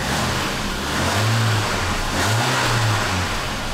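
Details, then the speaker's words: 1999 VAZ 21099 after oil change and refitting exhaust nuts: clean, even rev rising and falling smoothly with no puffing or blowing from the exhaust; exhaust sounds normal and sealed. "выхлоп нормальный"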